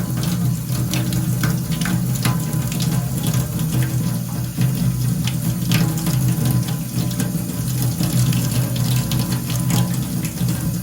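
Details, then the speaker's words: Rheem Stellar 360 hot water system after tempering valve replacement: strong, steady rush of water from the bathroom tap with no sputtering or hammering; pressure restored and temperature set to exactly 50 degrees, 7 degrees hotter than before; normal hot water flow. "Just look at the pressure. Beautiful pressure coming out now. Perfect 50-degree temperature."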